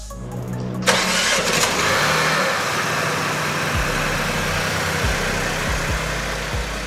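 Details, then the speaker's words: 2024 BMW X1 (U11) after front-end collision, after resetting the tripped fuse relay module: starter catches within a second and the engine runs smooth and steady with no misses; back to life. "Back to life. Yeah, you thought I wouldn't find it. I never give up, man."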